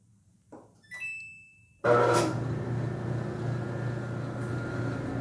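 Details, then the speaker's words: Samsung dryer, complaint of noise during operation. Control beeps, then the drive motor starts with a harsh electrical buzz and rough feedback hum; the dryer shuts off after 15–20 minutes as the motor overheats: failing drive motor. "motor has a feedback noise at start"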